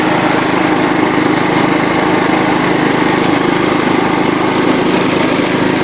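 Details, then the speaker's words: John Deere LT133 lawn tractor, after restoration, driving in fifth (top) gear of its five-speed shift-on-the-go transmission; steady, even high drone with no stumbles or dropouts, normal healthy running at full speed. "this one's got five this is top speed right here"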